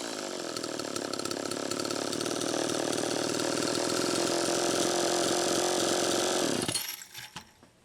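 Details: Homelite Super EZ chainsaw after replacing a broken carburetor check valve and a crank seal: engine screams at high, even revs with idle speed screw far out, then cuts out abruptly; still running lean from an air leak.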